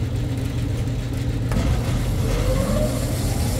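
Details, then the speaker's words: Rooftop exhaust fan running after phase rotation check, steady low hum and airflow rush at an even level; turning the right direction and healthy. "going in the right direction and all is well"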